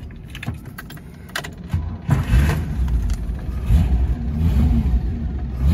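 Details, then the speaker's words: 1972 MGB fitted with a balanced and blueprinted 215 Buick V8 and five-speed. It catches after a few cranks and settles into an uneven, loping idle. Lumpy idle; owner unsure whether it's the cam or just needs a light tune-up. "it was idling a little lumpy i don't know if it's a camera if it just needs a light tune-up but let me start this up though"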